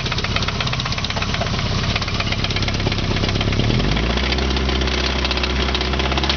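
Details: Nissan KA24E petrol engine idling with a deep, steady knock about three times a second, rod knock.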